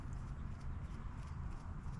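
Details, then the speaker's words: Trek Shift 3 bicycle, new replacement bottom bracket turned by hand: almost silent with no grinding or clicking, well-lubricated healthy bearings, unlike the old dry-bearing unit. "So, we got a new one. It's called a bottom bracket. I don't know why they call it a bracket, but here's what here's what this one sounds like. Can't even hear it."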